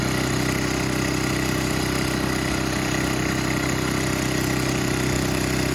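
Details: Older Craftsman snowblower left sitting for years in a shed and leaking fuel, hand-started. It settles into a steady, even idle with a regular low putter and no misses: normal idle.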